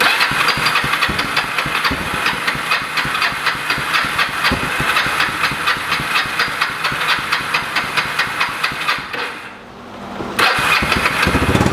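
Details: Abandoned Kawasaki 300 ATV single-cylinder, revived: popping along at steady idle about two beats a second, briefly dipping then recovering; runs fine.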